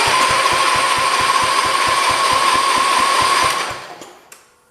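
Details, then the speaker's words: John Deere 112 round fender tractor, K181 engine with new head gasket, first crank without fuel or coil: even cranking pulses about 220 a minute with steady starter whine, blowing dust; compression sounds good and even. "Ready? Yes, sir. It works. And it's got compression, it sounds like. So, it's blowing out dust."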